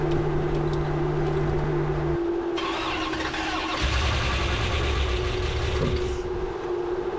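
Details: '73 Plymouth Duster, early Gen III 5.7 Hemi with Eagle heads, started with the vacuum hose unplugged. It cranks, catches and settles into a lumpy, unsteady idle with a ragged exhaust. Plugs had closed gaps and aluminum shavings; internal damage, rough running.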